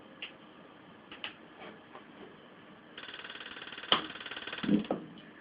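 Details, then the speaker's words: Old green Coleman Hot Water On Demand heater on an uncharged 6-volt sealed lead-acid battery, pump replacement pending: soft clicks, then sharp igniter ticks that die away; flame lights then stops as the water flow sensor detects no flow. "flame goes and then flame stops because the water flow sensor is saying there's no water coming through"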